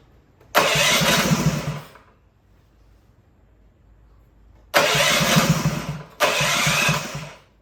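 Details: Newly built Honda GX200 clone engine on a bench stand, restarted on choke after tightening: three short bursts each catching about a second then dying; lean from a clogged carburetor jet, jet to be bumped up for smoother running.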